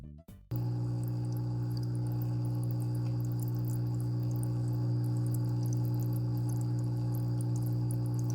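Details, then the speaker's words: GEX slim hang-on aquarium filter at its minimum flow setting, recorded in a near-silent room: a loud, constant low buzz at one pitch over the water sound; the motor hums noticeably. "Next is the minimum flow rate. You can also hear the buzzing sound."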